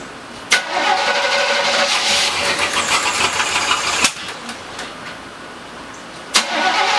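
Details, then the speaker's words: 1985 Chevrolet C10, first start in 10 years after new mechanical fuel pump, tank, lines, starter, battery and distributor module: catches and runs a super high idle with a light top-end tap, passenger side; Lucas oil treatment added. "Alright, we got the truck to start. As you can see, it was a super high idle, and we got a tap on the top end."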